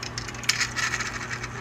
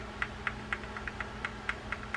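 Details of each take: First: Penn Bay Star 190 fishing reel turned before service gives short dry clicks and occasional thin high squeaks; almost always lack of grease, handle removed next for service. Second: Reel with spool adjuster set for a slight knock: light, evenly spaced ticks about four a second as the spool turns, the correct setting; too much knock is wrong, too little runs tight.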